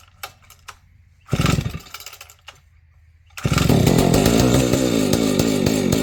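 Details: Vintage Husqvarna 285 chainsaw being rebuilt with replacement cases and cylinder: a couple of short pulls, then it catches and settles into a steady, even two-stroke idle with no misses. Owner says it later stalls, suspects ignition.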